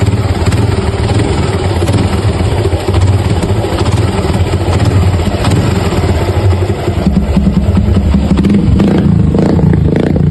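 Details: Suzuki Gixxer 150 single-cylinder motorcycle idling with a hollow, rhythmic knocking clatter over the deep exhaust beat: piston slap.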